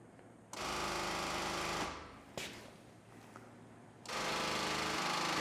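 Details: Harsh, fast buzzing rattle starting and stopping with the switch, from mid-car on a 1979 Jeep Cherokee parked 21+ years; owner suspects the electric fuel pump, a small square box with hoses.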